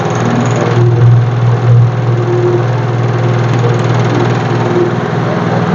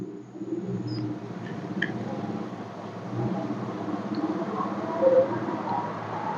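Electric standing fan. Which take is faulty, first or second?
first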